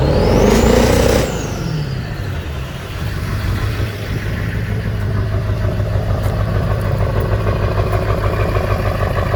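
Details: 2001 7.3L diesel with 330k miles at idle: uneven, lumpy beat of about three pulses a second under steady clatter; misfiring cylinder, cause not found.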